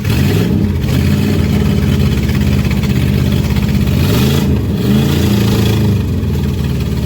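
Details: 1989 Dodge Ramcharger 2WD, sat about 14 years, fuel poured into carburetor: catches and runs lumpy, idle surging and stumbling between uneven throttle blips, unhappy after long storage; cause of rough running not determined.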